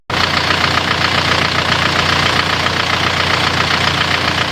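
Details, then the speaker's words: Isuzu Panther diesel from Yogyakarta, after engine overhaul (turun mesin) for white smoke, reusing used liners; even diesel clatter at steady idle, firm regular beat, no knocks or misses, smoke seems cleaner; rebuilt engine idling normally. "tam bukan Cafe suaranya suaranya ya bagus ya asapnya kalau menurut perasaan saya Justru malah lebih bersih"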